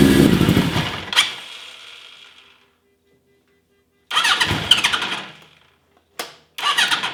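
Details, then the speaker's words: 1980 Suzuki GS1000S Wes Cooley with carburetor fuelling trouble, hard starting and stalling off idle when warm. Catches, revs briefly, dies, restarts in bursts; smoother but won't hold idle off choke. Cause unconfirmed; owner considers swapping in the other carburetors. "it's weird. It doesn't want to run on. All right. It does not want to run off a choke."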